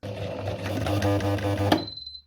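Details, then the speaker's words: Incorrectly threaded sewing machine running: it hums and chatters unevenly, then clunks hard and stops because it is not threaded properly and cannot form stitches. "When it is not threaded, it cannot do its job"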